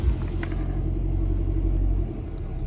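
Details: 2019 Jeep Cherokee 2.4 MultiAir with aftermarket LPG system, idle running on petrol (LPG switches off at idle): low steady rumble with no hunting, dips or misfire stumbles; normal smooth idle.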